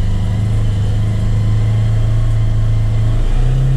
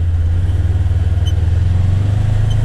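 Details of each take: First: Polaris Ranger XP1000 CVT belt: steady whirring whine at low speed as belt slips before full engagement, fading around seven mph in high range. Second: Polaris Ranger XP1000 with Hunterworks HW-925T CVT belt: steady low drivetrain drone rising slightly on slow pull-away, no squeal or slap; belt runs quietly.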